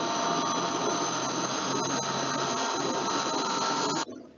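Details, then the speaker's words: Electric motor after bearing replacement: smooth, even hum with a few faint steady tones and no grinding or crackle; the spectrogram shows no red spots and the motor is noise-free. "you can see the spectrogram of the first motor after you have been changed bear the bearing so basically you you don't see any kind of red spot and it's noise free"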